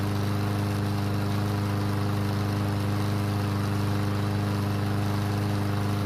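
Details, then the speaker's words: Yard Machine single-cylinder mower that would not start after winter storage, after repair with fresh gasoline: steady chug at constant speed with no misses or surging. Light smoke and oil mist from the muffler, likely too much oil. Normal running. "So it started and ran, however, it's smoking lightly, and there's an oil mist coming from the muffler and landing on the deck."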